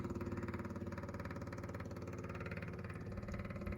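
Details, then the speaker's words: 1963 International Harvester Loadstar 1800, first start attempt in 20+ years: the electric fuel pump is powered and gives a fast, steady buzzing pulse whose tone deepens as fuel reaches the clear filter before the carb, running normally. "So we'll give it power here and see if it starts working. Oh, it's running. We'll see if we get anything. Oh, it's changed in tone."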